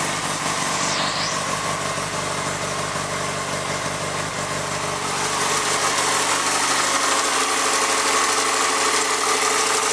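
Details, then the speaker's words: 2004 Yamaha FZ6, about 19,000 miles, stock, cold start: smooth even four-cylinder hum settling to steady idle with slight lifter or piston tap, which has always been present; normal cold start and idle. "you can hear kind of the lifter just a little bit or the pistons tap just a little but that's normal this is how it's always sounded it just has that nice low hum"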